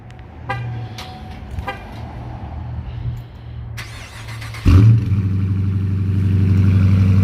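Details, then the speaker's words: Bone stock 2020 Dodge Charger R/T, V8 (5.7 HEMI per title), cold start: two horn chirps, then the starter catches and the engine flares loudly before settling into a steady, deep, even idle. Healthy cold start. "All right, guys, here is a good old cold start in the bone stock 2020 Dodge Charger RT."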